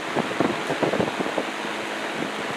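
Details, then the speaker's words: Old rusty table/box fan with side-mounted controls, running after its oil ports were oiled: steady airy rush, no squeal, rattle or grinding, quiet but moving lots of air; much quieter now, though shaft play remains and it still needs thrust washers. "Wow. So, just oiling it made all the difference there. Cool. It's quiet, but man, does it throw a lot of air."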